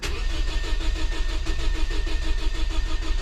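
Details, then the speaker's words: Scion daily driver with a recurring misfire and low compression found in a compression test, restarting after reassembly: long even cranking at about three beats a second before catching, then missing badly before settling to normal idle; hard start. "Uh-oh. Uh-oh. That took long enough. Oh, she's missing bad though. There we go."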